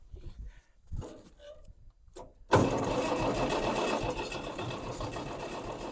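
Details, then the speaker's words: 1964 Farmall 806 diesel tractor after sitting too long: the starter grinds with a steady churning rhythm, but no cylinder ever catches. No fuel comes from the cracked injector lines; the owner suspects the injection pump is bad. "Is it enough? It would be nice just to hear it sputter once. A sputter would be that'd be all right. I'd take a sputter. Be better than nothing."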